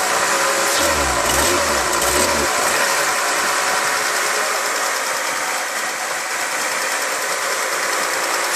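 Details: Mercedes C36 AMG M104 engine holding a fast, busy idle over 1100 rpm with a faint uneven beat, misfiring when cold; throttle body rewired and over-voltage relay replaced; high idle, cause unconfirmed.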